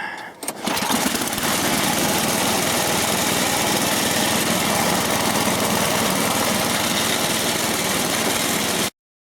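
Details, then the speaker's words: Tecumseh-engined snowblower that stalled after 3-5 minutes, running after the missing inner part of the gas cap was refitted; catches after a brief pull and settles into a steady, even run. "so when I put that on and I give this a pull it will work"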